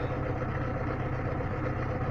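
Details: Lada Niva engine after owner-done valve clearance adjustment for valve knock; steady, even idle with smooth low drone and no ticking. The chain tensioner is already worn.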